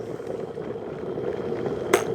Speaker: There we go. So, it works fine. Just needs a good clean up.